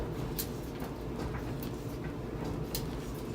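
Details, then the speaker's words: Used Whirlpool 29-inch dryer tumbling with a dull clunk once per drum rotation, about one a second, from a warped drum of unknown cause; a full load makes the clunk more noticeable. "actually it is making one clump free rotation the drum itself is out of wrapped"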